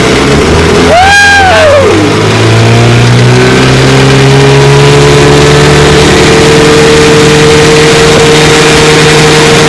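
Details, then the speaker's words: 1954 Johnson QD-15 10 HP outboard, fully restored with lower unit resealed and pressure tested and magneto rebuilt, pushing a 14-foot craft about 17 mph: revs climb then settle into a smooth, even two-stroke drone, no misses; pumping water well, running cool, healthy. "Yeah, she's pumping water real good. She's cool. Sweet, sweet motor."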